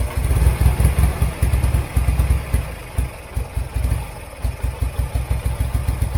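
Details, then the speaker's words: Turner Ranger tractor with a 1098cc A-series petrol engine, started with a jump pack after a weak spark, running on a little throttle: lumpy and uneven, dropping beats in a misfire. Owner suspects dirty, fouled spark plugs. "up it was missing a bit but let's try that again it clears sounds like a stone on the cylinder somewhere"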